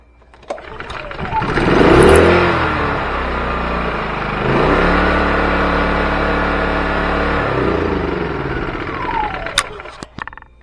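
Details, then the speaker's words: Champion 2000 watt generator after new carburetor, fuel stepper motor, pull rope, fresh gas and oil and unplugged oil sensor: catches, rises to an even, steady hum with no misses or knocks, then winds down cleanly; normal running. "So maybe it reset itself once I unplugged it. Anyhow, it's running now."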